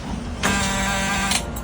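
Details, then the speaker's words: Sailboat diesel that became hydrolocked with seawater, cranked after water was dumped from a cylinder: about a second of strained, sluggish starter whirring that never catches; slow cranking, which the crew suspect is a low battery after repeated cranking. "That might be a little low on charge. >> I can hear it trying through this hole to push water out."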